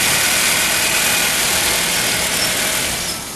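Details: Healthy smooth even idle with steady hiss, no chain rattle or ticking, on a 1.6-litre car at 130,000 km, after the faulty gearbox was replaced and everything reassembled.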